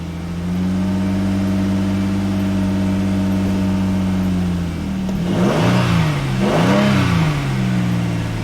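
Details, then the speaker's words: 2011 Hyundai Genesis 3.8L, after a crank-no-start fuel pump repair and fuel supply line refit: catches and settles into a smooth idle, then revs up and down cleanly; runs healthy. "so now let's start it right there it started baby"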